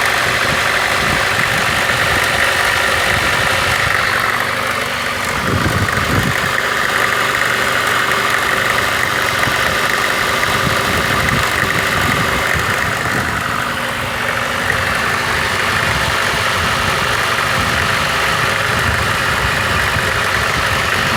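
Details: VAZ 2114, 1.5 8-valve petrol: cold-start idle with a fast uneven crackling tick about four a second near the cylinder head, which disappears once the engine warms up; cause unknown.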